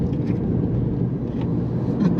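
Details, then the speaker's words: Mazda MX5 ND, lowered suspension, after garage repair of previous clunking: zigzag steering test on back road shows only steady road and engine noise, no knocks or clunks; noise gone, steering sharp again. "the noise has gone so that's great news it seems to be and it feels really sharp again"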